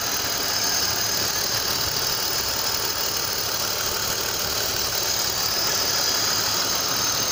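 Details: BMW M52TU engine at steady idle: a dull, rhythmic knock about three times per second under a hissy top end; the source has not been pinned down.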